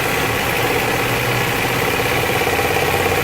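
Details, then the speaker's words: Petrol engine idling with AC compressor engaged: faint steady whirring hum over idle, suspected bearing noise appearing once compressor engages, not confirmed. "o doutor funcionando aqui está com um barulho e depois que aciona o compressor do ar condicionado e faz um barulhinho de vencer davi de rolamento de cara"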